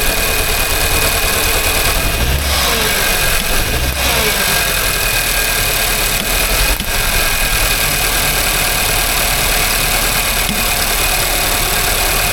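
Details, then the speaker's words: Nissan Juke F15 1.2 petrol with lack of power and dashboard warnings: a rough, lumpy idle with an uneven beat. Misfire on cylinder 1 from a broken valve, with zero compression found by compression test and boroscope. "the customer complaint on this one is lack of power, a huge misfire, and a few warnings on the dashboard."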